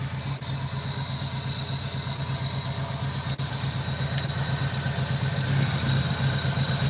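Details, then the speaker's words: 2007 Honda Civic 1.7 L, customer complaint of jumping and stalling while driving; idle pulses about 160 a minute with an uneven, lumpy beat and occasional dips, missing on a cylinder; misfire on cylinders three and four, two bad ignition coil packs suspected, massive leak suspected. "So definitely something having massive leaks somewhere, but not liking me too much right now."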